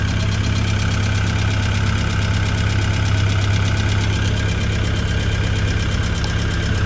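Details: Tennant M20 sweeper with a Vortec 1600 engine, first start after a head gasket job and timing belt refit, oil pressure good: steady, even low idle around 300 rpm with no misses, ticks or knocks.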